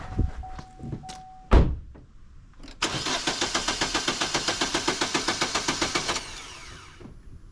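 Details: Vauxhall Astra that starts but dies once warm: short chime, then the starter churns at about six beats a second for three seconds without catching, a hot crank-no-start.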